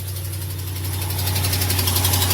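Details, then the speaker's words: Ram 1500 Hemi, cold first thing in the morning: steady idle with a sharp, fast ticking that follows engine speed from one side; not a lifter or camshaft Hemi tick but, in the mechanic's opinion, an exhaust manifold leak from a broken stud. "Ladies and gentlemen, that is a tick, but it's not It's not from And it's on this side, too. Okay, it's first thing in the morning, cold. That is not a lifter camshaft type tick."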